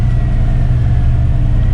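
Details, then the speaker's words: Fox-body Mustang, turbo, about 500 hp, with a used $250 T5 manual gearbox of unknown history just installed. Idle with the clutch let out: a low steady rumble with no whine or gear noise, quieter than the previous failed gearbox. "All right, I don't hear any whiny whines. So that's a good start."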